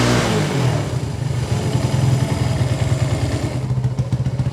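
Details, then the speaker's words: 1980s Italjet Skipper 125cc motorbike after fix, run without the sealing tank cap: fires up and keeps running with a quick, even single-cylinder putter, no misses or stalling; fuel delivery now good. "that seems to be working just fine."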